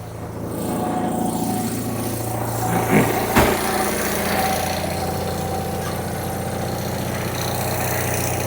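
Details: Car started having sat parked outside: catches and settles into a steady, even idle with a smooth low hum, no knocks or misses; sounds all right.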